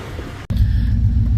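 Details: BMW E36 with a 5.7 LS1 V8 swap, after a loose exhaust bolt was tightened and a spacer fitted to cure an exhaust leak: deep, steady rumble with an even beat and no ticking or puffing; sealed, healthy exhaust.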